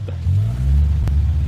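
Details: Fiat Punto with new 2.5" exhaust, idling after assembly: deep, throaty idle that jumps up and wanders instead of holding steady; erratic idle, cause not pinned down.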